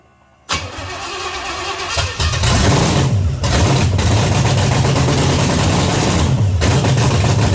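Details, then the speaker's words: 1979 Pontiac Trans Am, overhauled 400 V8 first start on open headers, catches and settles into a loud, lumpy uneven idle; very rich, black smoke out of carburetor, floats suspected set too high. "God damn. Boy, it's really rich. Wow. Son of a whore. Now it's smoking out of the fucking carburetor. It's really, really rich."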